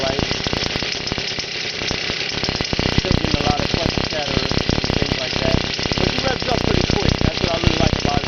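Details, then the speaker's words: X7 midbike with stock 49cc two-stroke weedeater-style motor, just jump-started, on a stand; crackly rapid buzz rising and falling with throttle blips, firing evenly with no knocks or misses; healthy running. "I look pretty good. Not too bad. Not too bad. But uh does sound all"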